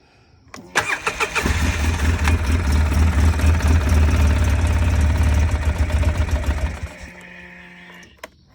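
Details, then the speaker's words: 2005 Polaris Sportsman 700 EFI after new Quantum in-tank fuel pump, regulator and filter, primed: brief starter churn, engine catches and runs rough but steady about five seconds then dies; cranking and starting. "Okay, that was started."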